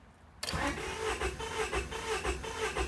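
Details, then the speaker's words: 1999 Honda Prelude, California model, 113k miles, dies after about 30 minutes idling when warm, suspected flooded/rich; with a little gas added it cranks steadily, unevenly about two beats a second, seems to want to start but never fires: long crank, no start. "okay i add a little bit of gas it sounds like it kind of wants to start i'm going to do this again"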